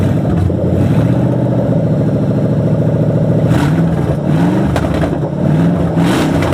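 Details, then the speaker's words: Crown Victoria with 2003 engine on 96 harness, improper O2 sensors, dumping fuel: fairly even beat with light throttle blips, running better; rough running attributed to ECU map not dialed in to ECU. "this is not the proper map in here but it's a proper map for the ECU this map is good but it's not dialed in to the ECU that's why you hear it"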